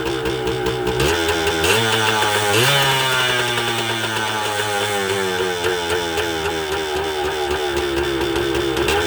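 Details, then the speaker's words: 1980 Suzuki TS125 two-stroke after a carburetor clean: revs climb on their own and hang high with a raspy buzz that won't drop back, not stopped by the ignition switch; runaway engine blamed on an air leak, crank seals suspected. "and that my friends is what the problem is here how it throttled up so that's what we're gonna have to diagnose that right there is an air leak at its finest"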